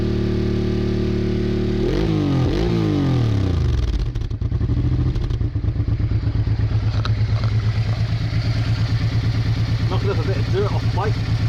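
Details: Honda Bros/Hawk GT 650 (late-80s twin), warmed up over 10+ minutes, camera held near the exhaust: a few quick blips rising and falling cleanly, then even, steady thumping idle, no misses or knocks; healthy. No coolant leak found.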